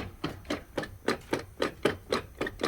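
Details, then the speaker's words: Chevy Suburban on a lift in two-wheel drive, transfer case seeping fluid: rocking the rear driveshaft gives sharp metallic clunks inside, rotating the front gives scraping; suspected stretched chain, possibly after running low on fluid. "you hear the clunking inside there that's one thing but now if I go to the front here and the front it's not in four wheel but if you listen I'm going to rotate it you hear the noise something's scraping inside so yeah I really think the chain is stretched"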